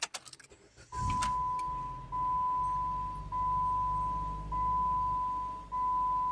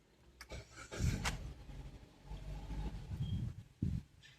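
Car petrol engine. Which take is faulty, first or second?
second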